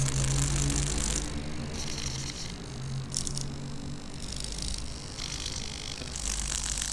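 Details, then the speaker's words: Mini robotic arm with five servos controlled by Arduino: erratic hissing buzz over a low hum as the blue servo jitters; swapping to a black metal-gear servo with the same program removed the noise and made it stabler. "o fato é que com a mesma a mesma programação eu tava com servo azul e mudei para o servo preto de metal ele esse ruído sumiu"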